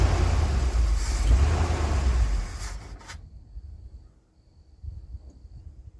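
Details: 1980 ramp truck, 351M V8, running after ~25 years sitting: deep, even rumble for a couple of seconds before dropping away; no knocking or ticking, engine sounds healthy.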